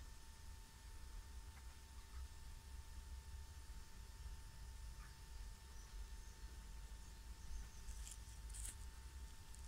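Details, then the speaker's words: VW Sharan 7N2 2.0 TDI 150hp after a diesel filter change: the lift pump, triggered via VCDS to bleed the fuel circuit for about one minute, gives a steady, even electric hum, heard from the tank side. It is running normally. "Donc là on entend une pompe, c'est du côté je pense du réservoir, c'est de l'autre côté. Donc c'est toujours en cours, on entend toujours le bruit."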